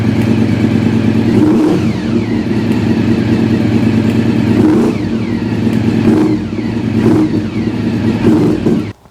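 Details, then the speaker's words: V4 engine that had stood a long time, choke just switched off: smooth, even burble with clean rev blips and no knocks or misses, then shut off; it runs and all seems fine. "So there we go. It runs. It all seems to be fine."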